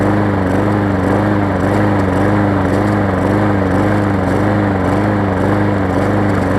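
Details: Hyper Tough mower with severely bent blade: engine drones but note wobbles and surges slightly about twice a second; running rough, cause not pinned down.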